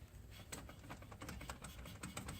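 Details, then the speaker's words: Front driveshaft joint on a 2015-or-newer Jeep Wrangler JK, removed stock shaft turned by hand: sharp, uneven metallic clicks, about a dozen in three seconds; clicking joint is bad, would be loud under load, so the shaft needs replacing. "the clicking? The clicking is the bad thing. You can imagine how loud that is under a load."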